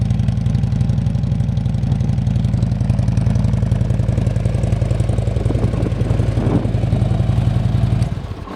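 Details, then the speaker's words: 2011 Harley-Davidson Ultra Limited V-twin, 17,893 miles, recently traded in: fires and settles into a lumpy, even potato-potato idle about four beats a second, then shuts off cleanly; normal healthy start and idle. "It's got 17,893 miles on it. Let's listen to this beast fire up."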